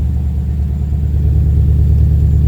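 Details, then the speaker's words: Ford Capri with Mercedes M113 5.0 V8 swap on MaxxECU, about 13.8 AFR, 32 psi oil pressure: low, even burble with no stumbles or misfires; smooth, clean idle. "She's running smooth, very smooth. No misfires."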